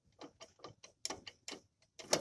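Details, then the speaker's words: VAZ 2107 front suspension: sharp metallic knocks, three or four a second, and squeaks from a shock absorber bracket not tightened enough in places and wobbling; bearing, studs and bushings already checked. "из-за этих ударов выяснилось, что кронштейн был недостаточно затянут в некоторых местах . А эти скрипы, видите, он болтается."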